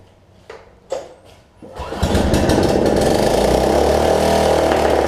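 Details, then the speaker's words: Snapper rear-engine rider mower after bad gas, running on sprayed cleaner before the gas line is reconnected and the choke arm fixed: a few clicks, then it holds a steady high-pitched buzz; runs faster than it should, engine overspeed. "sounds like that it is running a little bit faster than it should as well"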